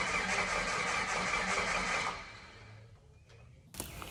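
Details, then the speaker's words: 1988 Jeep Comanche MJ 4x4, sitting for years, first start attempt after fuel tank cleaning, new fuel pump and fuel lines: steady starter cranking for about two seconds with no firing, cranks but won't start; battery being drained. "Okay, first attempt. Uh, she did not fire up."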